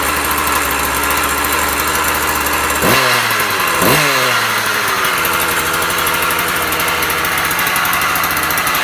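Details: Husqvarna 36 chainsaw after repair, warming up, may need tweaking: steady two-stroke buzz at fast idle with two quick throttle blips rising and settling cleanly; running healthy.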